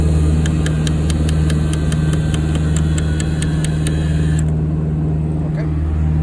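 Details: Piper PA-30 Twin Comanche landing gear retraction: sharp, even clicks about four or five per second over a steady gear motor hum, then stopping. Clicking comes from the gear transmission; cause unknown.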